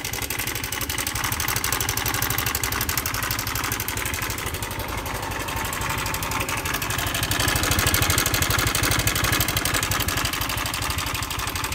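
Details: Honda Air Blade scooter idling with a fast, busy metallic rattle over the engine note, about four a second; slack cam chain from a failed cam chain tensioner.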